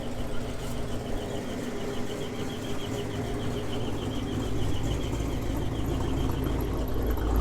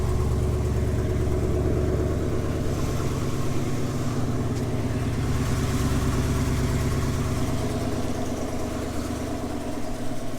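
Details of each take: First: GMC 2500 Vortec V8, warm idle, not the belts, only when warm: sharp high chirp about three times a second keeping time with engine speed; owner traces it toward the torque converter and bell housing, source unconfirmed. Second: GMC 2500 Vortec V8 at cold idle, a truck that earlier lost oil pressure once and squeals only when warm: low, even idle, steady rhythm, no knocking or ticking; healthy cold idle with the squeal not yet present.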